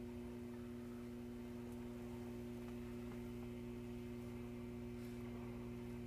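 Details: Silvertone 4586 tube radio, just recapped and dim-bulb tested, on wall power: steady low even mains hum with buzzy edge, no crackle; much quieter on shortwave than AM; one of two 6F6G output tubes barely lit, cause not yet found.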